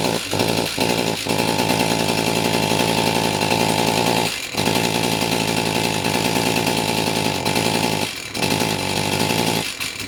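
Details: Stihl MS291 chainsaw runs rough and flat with stumbles and will not rev; no power because the spark arrestor screen is choked with carbon, which was burned off and wire-brushed clean.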